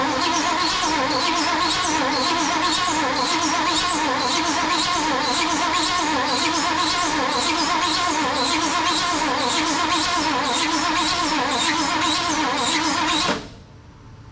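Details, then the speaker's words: 1974 Ford Bronco, not started in over 16 years: steady cranking about three compressions/s for thirteen seconds, never fires; no fuel, fuel pump long dry. "Okay, no fuel. We'll try to give her a little pressure here. I'm sure if everything else is dry, that pump's been dry for a while."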